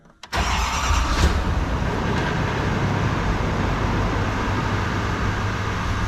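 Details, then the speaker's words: Rebuilt wrecked 2022 Chevrolet Silverado 2500 Duramax diesel, 5,600 km, first start after rebuild with coolant and power steering fluid just topped up: quick crank, fires first try, settles into steady even idle, no knocks or misses; normal start. "All right, I'll see if this thing will fire it up. First try."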